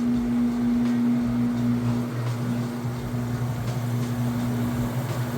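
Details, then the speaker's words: GE direct drive top-load washer, medium casual cycle, super load, final spin ramping to full speed and self-balancing as clothes lighten: steady mid-pitched hum with soft even rumble, no knocking; normal smooth spin. "It's gonna kind of self-balance and self-even the faster it goes. Now, as it extracts the water and the clothes get lighter, it will get faster."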